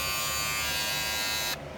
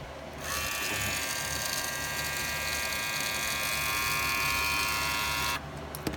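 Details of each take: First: Wahl premium red clipper guard after the fix of bending its small metal piece: steady high buzz of the clipper with guard fitted, even and free of rattle, then switched off. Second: Wahl hair clipper with red premium attachment guards: steady buzz with a harsh chattering edge from the guard rattling due to a loose retaining clip.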